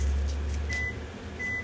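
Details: 2022 2850KRL Alta travel trailer microwave run empty for a few seconds with air conditioner running in background: steady low hum with two clean beeps about three-quarters of a second apart; normal operation.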